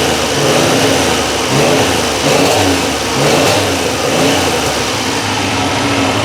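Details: Triumph Trident T160 three-cylinder motorcycle after relay mod feeding the Boyer ignition module full 12 volts, fixing low-voltage misfire and starting trouble: runs evenly, rising and falling with steady throttle blips.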